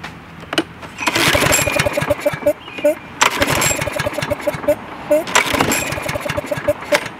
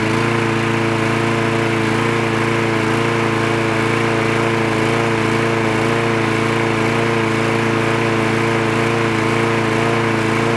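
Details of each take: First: Craftsman lawn mower with a bent, seemingly frozen throttle linkage near the automatic choke: repeated pull-cord whirrs briefly spin the engine with no firing at all, because the spark plug wire was left disconnected. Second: Craftsman lawn mower with the spark plug wire reconnected: a steady, even small-engine drone at constant speed with no surging or sputtering; the mower is running properly.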